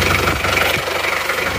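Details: Isuzu Panther 2.3 diesel, 7 years after liner rebuild: steady even idle clatter with no stumbles or knocks, very thin smoke; compression then tested via glow plug hole of cylinder 2.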